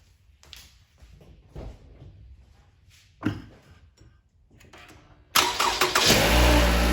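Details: 2016 Toyota RAV4, three years old, battery at 12.8 V before start: quiet handling noises, then the engine catches and settles into a steady, even idle with no knocks; alternator then reads a normal 14.2 V, sounds normal.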